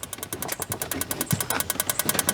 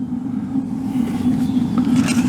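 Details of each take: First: Suburban water heater in a travel trailer unused for a couple of years: rapid igniter ticking, about eight clicks a second for 3.5 seconds, then stops; the gas valve seems to open but the burner doesn't light and no gas is smelled. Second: Suburban LP water heater in a travel trailer unused for a couple of years, now lit: a steady, unbroken low roar of the gas flame with no popping, blue flame seen; burner and board working.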